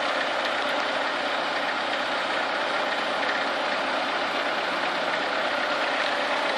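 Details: Chevrolet Niva engine at warm idle, coolant warming between 50 and 70 degrees: a faint, uneven knock sits under the steady engine hum; where the knock comes from is unclear.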